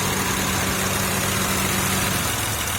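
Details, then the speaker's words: 2003 Honda Accord V6 after engine swap, warm idle with radiator fans running: steady, even, smooth hum with no stumble or ticking; normal idle. "The radiator fans are presently running, and as you can hear, runs smooth."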